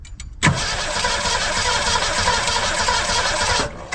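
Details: 1962 Ford Falcon wagon with a 200 cu in straight six (believed 1966 Mustang), sat over 20 years: catches on poured-in fuel after a short crank, runs rough about three seconds, then dies with no steady fuel supply.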